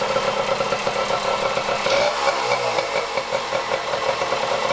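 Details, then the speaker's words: 1977 Kawasaki KD100M, 100cc two-stroke rotary-valve single, barn find started for first time in years: idles evenly with steady buzzy pop, no misses or hunting; normal idle. "I remembered to press record though, and we saw the motorcycle start and run for the first time in a long time. Sounds good too."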